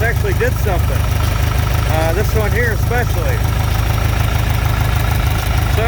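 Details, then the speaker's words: John Deere 3020 LP with new head, no choke, carb being adjusted: steady, low, even chugging at idle with no misses, holding speed smoothly; normal idle. "let me get down here and play with the carb a little bit there we go full idle be a little bit more adjusting on the carb"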